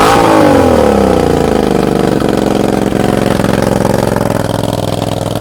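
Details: Suzuki SV650 V-twin, just fitted with new exhaust after oil-leak repair, bike on its side: after a blip, revs settle into an uneven stumbling idle with skipped pulses; misfire, owner plans to replace spark plugs and coils.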